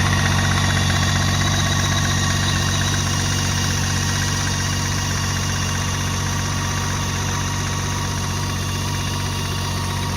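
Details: 2017 BMW K 1600 GT: even idle with light regular ticking about three per second over engine hum from the engine; engine ticking, source unknown.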